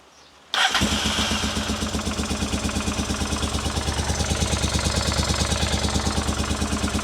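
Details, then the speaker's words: Honda Africa Twin at its first start after a full rebuild, outdoors in rain on a temporary fuel supply: a lumpy, uneven beat. Only the rear cylinder is firing; one carburettor was later found dry from fuel starvation. "Well, she runs, but she seems like she's only running on one cylinder. She's only running on the rear cylinder, unfortunately."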